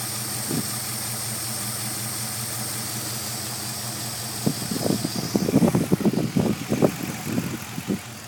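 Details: 5.7 Hemi V8 idles evenly at first, then turns lumpy with irregular stumbles and uneven pulses; rough idle, cause not evident.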